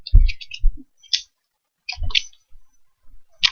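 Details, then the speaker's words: Chi You clone mod with an 18650 battery, top cap and locking ring screwed on: a few sharp, uneven clicks and rattles as it is shaken, because the battery is loose in the tube. Fixed by extending the telescoping brass piece. "then you're going to screw on your top cap and then locking ring down you guys hear that that's battery"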